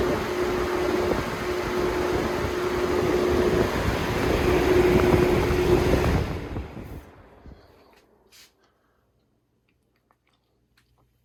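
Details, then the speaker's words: Roughly 20-year-old Holmes HABF-20 box fan, motor-mount screws sometimes loose or missing: steady hum with light fast rattle three or four times a second fading as blades spin down; something loose, cause unconfirmed. "i know you guys heard uh both of these rattle but these are these are still good fans"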